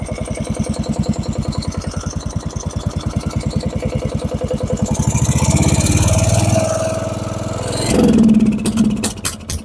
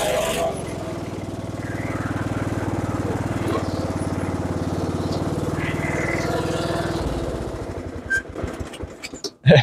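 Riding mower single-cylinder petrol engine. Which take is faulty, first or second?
first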